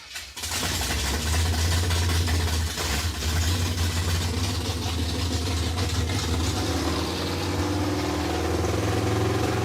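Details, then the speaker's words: 1957 Chevy Bel Air junkyard car with freshly installed small-block V8 (307) and Turbo 350, after fixing a fuel problem: fires up and settles into a steady, even V8 rumble with no misses, knocks or stumbles; running healthy. "it is fixed dude it's freaking fixed it sounds pretty good too let's roll"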